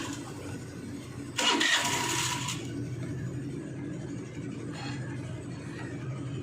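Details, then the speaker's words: Hero Maestro Edge BS6 scooter with hard starting and choppy acceleration: a long starter whirr before it catches, then an uneven sagging idle. "தெரியும் நம்ம எவ்வளவு start பண்ண முயற்சி பண்ணாலும் ரொம்ப start ஆகுறதுக்கே late ஆகும்"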